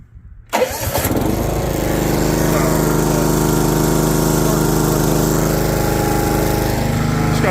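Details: Old John Deere GX75 riding mower that sat 8+ years, old fuel flushed and a borrowed battery fitted: brief crank, then catches and settles into a steady, even putter on choke. Normal cold start.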